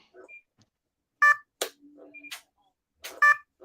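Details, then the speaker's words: RC plane speed controller with the motor silent and no throttle signal after servo replacements: short bright beeps repeat every couple of seconds; the controller is not arming, and a throttle-signal problem is suspected, not confirmed. "so the motor is still doing the beeping thing that's what's freaking me out because it's not getting any signal"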